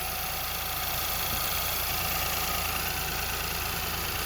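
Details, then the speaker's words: Ford Fiesta with lean code P2187, idling, heard under the hood: a faint, constant airy hiss, apparently near the throttle body. A vacuum leak; a dealer had wanted to replace the injectors. "I don't know if you guys can hear that, but I'm hearing a leak. I'm hearing vacuum somewhere."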